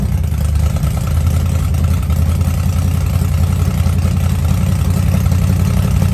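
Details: Blown 1957 Chevy Gasser V8, cold first start after an oil change with oil pressure primed. Deep, lumpy, steady rumble with no knocks or misses, burning off oil; a normal idle.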